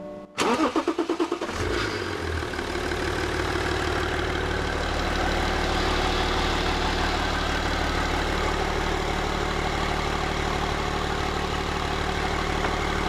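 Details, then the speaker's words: BMW 325d diesel after maintenance and upgrades (valve springs, rocker cover, radiator, coolant), fuel system bled, charger on, first start: brief 1.5-second crank then steady even diesel clatter at idle; normal start. "We put everything back together, we started it up, it runs nice."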